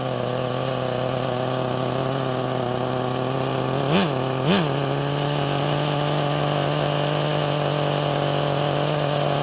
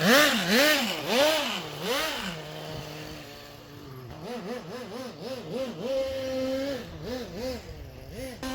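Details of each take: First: HPI Nitro MT RC truck, first start in probably 20 years, started easily: smooth, steady high-pitched buzz with two brief throttle blips, then settles straight back; clean, stable, normal idle. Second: Original HPI Nitro MT RC truck, first run in probably 20 years, carburetor settings untouched: high buzzing engine revving up and down about twice a second, slightly soft and burbly at top; running a little rich.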